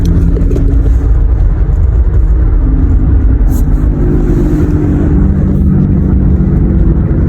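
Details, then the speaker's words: 2012 Toyota Highlander cruising: steady low hum and drone from a bad wheel bearing, heard only above about 38–40 mph; hub temperature reading used to diagnose it. "okay so on this wheel bearing it was only making a sound above 38 39 miles an hour so 40 let's just call it 40 miles an hour"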